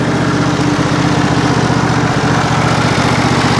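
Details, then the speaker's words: John Deere SST18 lawn tractor, 160 hours, before an oil change during a full service: engine ticks over at a steady, even idle with no misses or knocks, sounding healthy. "now the engine's running real good I'll go ahead and throttle it up warm up the oil shut her down"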